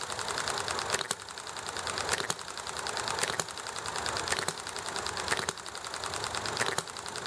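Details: Enjomor model hit-and-miss engine running nicely: crisp single firing about once a second, then quiet coasting between hits, steady spacing under background highway traffic and conversation; normal hit-and-miss running.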